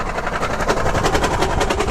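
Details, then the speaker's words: Lexus SUV run out of oil: heavy, rapid metallic knocking about eleven per second while the engine turns over and runs, hard and relentless; oil-starved bottom end, engine knock from oil starvation. "The sound that you're hearing is $20,000 just going out your pocket."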